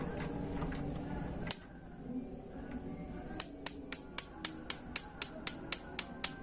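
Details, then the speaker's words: Modena high-pressure membrane gas water heater, solenoid disconnected; sharp, dry ticks about four a second, burner not lighting. Igniter sparking too slowly, module suspected faulty, possibly a stuck solenoid loading it. "Entar saya ulangi lagi kok ada pemantik tadi tapi pelan"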